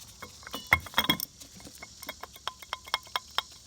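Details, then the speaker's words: Cub Cadet RZT 50 / KW50 with Kawasaki FR691V 23 hp engine: a removed mower deck spindle, turned by hand, gives a loose light metallic clicking rattle from a worn bearing that was heard as knocking while mowing; being replaced with greasable spindles. "all right welcome back i've got the uh all the all the spindles out of here um this one here you can hear it rattling"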